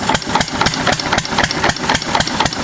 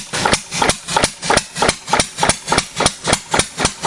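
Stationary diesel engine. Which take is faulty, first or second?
second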